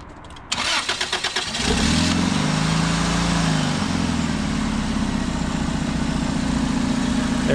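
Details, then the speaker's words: Engine cranks, catches and settles into a steady, even idle with no stumble or misfire after a persistent misfire was fixed by replacing the failed ignition coil pack with a junkyard part. "it if you can hear it it's running a lot better that's a job well done"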